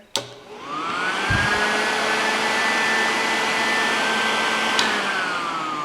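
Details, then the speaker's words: Engine run stand 16-inch electric radiator fan on test, engine not running: motor whine rises quickly to steady pitch with strong even air rush, then winds down with a relay click; fan runs smoothly. "and that thing is kicking out a ton of air"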